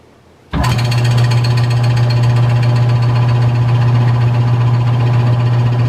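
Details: Rebuilt mid-1940s Surge milking vacuum pump, new electric motor, fresh oil, belt tension checked, first run: starts abruptly into steady low drone with rapid even pulsing, no clatter; building vacuum, running well.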